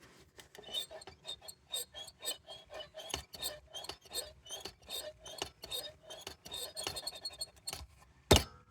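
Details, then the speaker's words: Sim-racing brake pedal fitted with an MVH Studios load cell mod V.2, squeaking sharply each time it is pressed; the original pedals are greased at the pivots, implying a dry pivot. "so it's very squeaky um if when you take it apart you'll realize that the original petals are greased"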